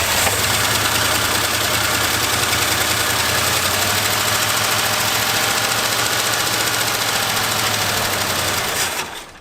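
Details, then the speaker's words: Abandoned 1977 Ford plow truck: long steady cranking about three and a half beats a second, catches a second or two then quits; owners suspect fuel pump, lines or tank pickup, not confirmed. "If I crank and crank and crank, it gets just enough fuel inside to run for a second or two."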